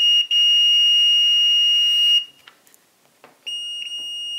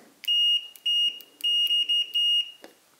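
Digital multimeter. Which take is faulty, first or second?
first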